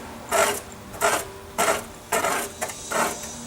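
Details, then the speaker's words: VW Beetle generator cooling fan, turned by hand after reinstalling on a swapped generator with all shims on the back side: dry scraping rasp about 1.5 times a second as the fan rubs the backing plate; shims need moving to the other side. "so we got some rub there which means i gotta move some of those shims to the other side and uh that's no big deal"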